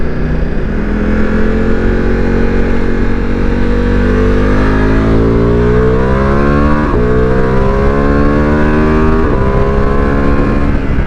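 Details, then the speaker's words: Ducati Multistrada V4, riding after a dealer software update: clean exhaust note rising and falling through the gears, no overrun pops or bangs up or down, which it previously had. "No more pops or bangs. Oh, they've gone. Still sounds good. Yeah, 100% no more pops or bangs."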